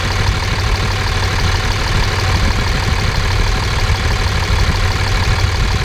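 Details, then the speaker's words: 5.9 24-valve Cummins diesel, warm, check engine light on from an unplugged CP3 fuel control actuator: loud open-exhaust idle with a steady, even pulse and no tick; exhaust manifold temperatures all within about 10 degrees, possibly a false alarm. "the temperatures are all within about 10 degrees ah i don't know it seems to be fine might just be a false alarm"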